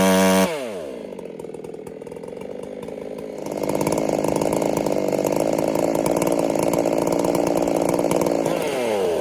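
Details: Ported Husqvarna 385 chainsaw during break-in test runs, carburettor tune left slightly rich to be safe: the saw revs up from idle to a steady high scream with a faint uneven burble on top.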